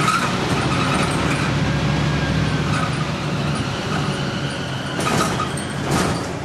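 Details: Stagecoach Fife Volvo B10M Alexander PS-type bus 20335 in service on route 39, Kirkcaldy to Glenrothes, 2012: engine rumble under way with a thin high squeal and sharper screeches near the end; source not identified.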